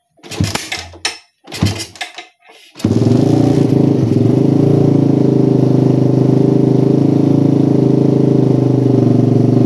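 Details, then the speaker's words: Motorcycle with PWK carburetor and racing exhaust, after fixing a stuttering "helicopter" misfire by setting air screw to about 2.5–3 turns: few throttle bursts then steady even idle, no stutter; carburetion now normal. "nah hasil setengah setting angin idealnya stabil banget guys ini udah layak untuk digunakan sehari-hari"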